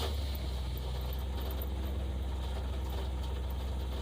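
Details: 1964 Plymouth wagon 440 V8 idling with half a tank of fuel: deep, steady, even burble with no knocks or ticks; smooth healthy idle with 50 psi oil pressure.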